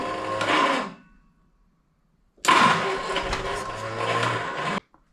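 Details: 1971 Triumph Spitfire MK III 4-cylinder, unstarted for 14 years: two short bursts of firing that each die after a second or two; it runs only on starting fluid with no fuel supply.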